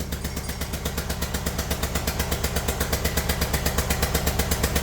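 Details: Kia Sportage 1.7 diesel at idle, oil and dirt over the engine: sharp regular chuffing puffs, about nine a second, pounding over the idle like a tractor; one injector seal blowing, fixed by cleaning injectors and new copper seals.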